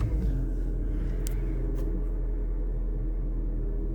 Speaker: That starts up and sounds all right. Only 54,000 miles on it. Idle seems to be okay.